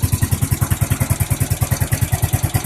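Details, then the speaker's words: Suzuki GZ250 single after carburetor cleaning, started on full choke. It thumps at a quick steady idle with a sharp tick on every beat; valves are quieter than before but still noisy, valve clatter needing adjustment. "Valves are a lot quieter than they were, that's for sure."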